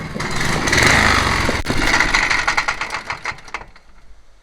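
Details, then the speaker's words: Honda HRH 536 HXE professional mower being recommissioned: engine running with an uneven metallic clatter about three a second; owner suspects the blade clutch rather than the connecting rod. "même un sacré bruit métallique on dirait pas la pielle quand même je vais voir au niveau de l'embrayage du coup je pense que ça ça doit venir de l'embrayage de l'â ce bruit là"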